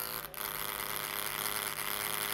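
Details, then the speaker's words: 2012 MacBook Pro laptop cooling fan running, before cleaning: steady high-pitched buzzing whir from a fan clogged with dust and old oil; noisy fan, fixed by opening the bottom case and cleaning the fan. "we're going to fix noisy fan of a MacBook Pro I have here it's my trusty 2012 MacBook Pro the main problem is listen to that"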